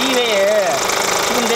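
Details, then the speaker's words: Kia Grand Carnival with 100,000 km, at idle. A wavering, bird- or cricket-like chirp slides up and down in pitch over the engine sound, heard better from the wheel well: the crankshaft damper pulley is failing. "of a cricket, like a bird, in addition to the basic sound of an engine I can hear it better from the wheel"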